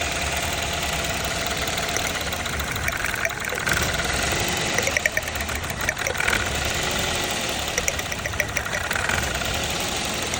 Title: Toyota Engine Misfire problem solving #short #shortvideo